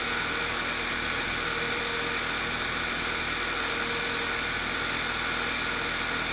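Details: 2.0L TSI engine code CCT VW Eos with lean misfires, after replacing a torn rear main seal that caused a huge vacuum leak: steady, even idle with constant hiss, no knocks or misses, sounding smooth and healthy.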